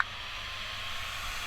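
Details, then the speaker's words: RC car cooling fan, rusted from seawater, just repaired so it comes on: steady, even airy whir with no ticking, rubbing or speed wobble, sounding better the longer it runs; normal running. "That fan's sounding a lot better though, the more it runs."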